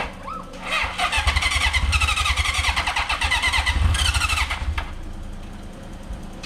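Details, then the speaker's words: 1982 Honda CB750K with cleaned carburetors and pod filters, hot-wired ignition, after resting from flooding: steady starter whirr with quick cranking beats and a few near-fires, close to catching but not yet running; it then starts with a little choke. "All right, let's give this a try again. Sounds like it's about to go."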